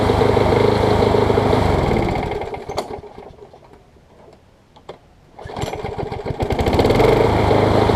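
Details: MTD Quantum push mower engine on a Troy Bilt deck: speed sags nearly to nothing, then climbs back to full run; engine hunting, with a sheared flywheel key found.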